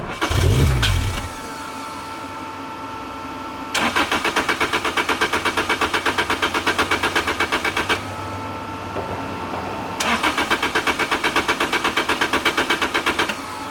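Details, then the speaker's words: 2006 Lotus Elise, 2ZZ turbo, six-speed manual, after new spark plugs, fuel pump and fuse checks: two long runs of even starter cranking at nearly three turns a second that sputter and never catch; cranks but won't start, owner suspects the tune. "so it's wanting to start and then it sputters out and then look at that thing tweak i have no idea what's going on with this thing"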